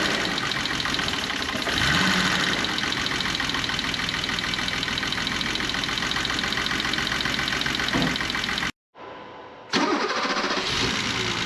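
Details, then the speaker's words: 1985 BMW E24 635CSi Euro-spec inline-six idling unevenly with an irregular stumble, a misfire; pulling plug wires one by one shows cylinders two and six not firing. "sounds like i have a misfire so to diagnose it i'm gonna pull spark plug wires one by one to figure out which cylinders aren't firing"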